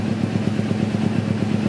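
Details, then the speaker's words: 2009 carbureted Kawasaki Ninja 250 R twin with Akrapovic exhaust: exhaust thumps at idle are even and evenly spaced, roughly eleven a second, no stumbles or skips; both cylinders fire in timing, a normal smooth idle. "Gak ada berbet-berbetnya, dan juga antar dentum semuanya intervalnya sama."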